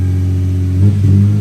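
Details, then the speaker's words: 2000 Toyota Avalon, 223,000 miles, after ignition switch barrel with broken tab was replaced: starts and idles smoothly and evenly, no knocks or misses, idle slightly high, no check engine light. "Let's see if she fires up. See how she runs. Runs good. Runs good."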